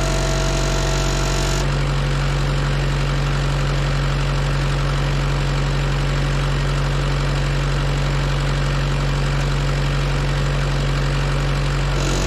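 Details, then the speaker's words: Auction-bought diesel welder that fell from a crane, idling with a loose, worn drive belt: smooth, steady low drone, even beat, no knocks, squeal or misses; good oil pressure, temperature still rising; healthy idle. "we got great oil pressure temp is still coming up"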